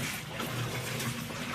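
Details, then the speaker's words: Whirlpool WTW4816FW3 top-load washer, bought 2023, on short wash with auto water sensing, small load. More water was added after it strained on a low water level; now steady sloshing and an even agitator churn. Normal wash agitation. "Now I can hear it actually washing instead of struggling to push those wet clothes without enough water."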